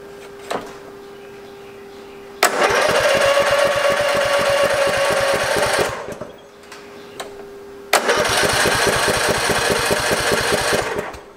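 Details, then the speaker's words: Free Craftsman lawn tractor, unused since 2017, recently fueled: two long bursts of steady starter cranking that never catch, fuel starved; the fuel shutoff solenoid plunger was found totally stuck. "sounds like it's not getting any fuel so i'm gonna look into this a little more"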